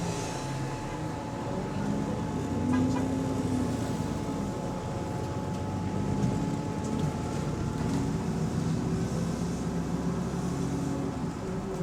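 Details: GAL bus EN39 on route 89, heard inside while moving: constant thin high whine at one pitch over low rumble; source unclear, suspected battery, electronics or air conditioning.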